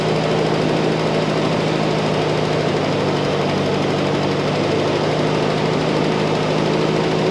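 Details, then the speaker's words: M151 military jeep after carburetor work, fuel filter added and contaminated tank drained, about three-quarters choke: steady, even idle with smooth low rumble, much better though idle still not quite right. "so hmm that sounds a whole lot better"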